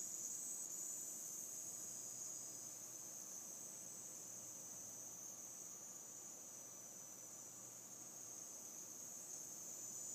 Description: My Seasonic M12ii 750w started making this sound after more than a week of use. It happens randomly - sometimes it makes this sound when I turn my PC on, but sometimes it doesn't.